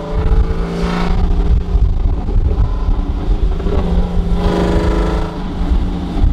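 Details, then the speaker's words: Camaro after exhaust leaks were fixed and the pipes tacked: deep rumble rising and falling with throttle blips, a few pops on lift-off, no ticking or puffing leaks; normal, sealed exhaust note. "now having no more engine leaks I can hear it it's sounds better y'all I promised it makes a big difference with no engine leaks right now sounds so so much better"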